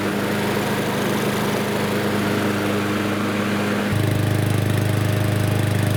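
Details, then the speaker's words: Lawnmower after fixing auto-choke arm pushed too far toward carburetor, choke butterfly now closing properly: started first pull, single-cylinder runs smooth and even, note settling lower partway; healthy. "So you can see it started with the first pull once that choke lever was fixed."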